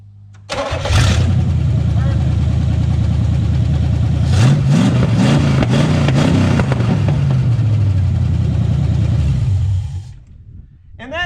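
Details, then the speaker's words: 1988 Firechicken after fuel plumbing, oil added and a setting backed off to cure starting hesitation: catches at once and settles into a steady, even run with no stumble; clean start. "that, ladies and gentlemen, is what success looks like."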